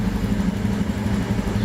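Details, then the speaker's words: 2017 Honda Beat fuel-injected scooter, no fault codes stored, idling at about 1500 rpm, which is standard: a smooth, even idle with steady pitch and no misfires, rattles or hunting. The engine idles normally. "saya kira itu di kondisi motor sudah sudah berjalan dengan normal dilihat dari sini juga bisa ketahuan ya"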